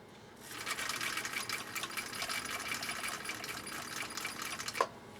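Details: 1959 Husqvarna Viking CI-21A sewing machine straight-stitching tricky bubble-gum-style material: light, quick, even stitching patter, steady speed, no knocks or catches; running smoothly and healthy.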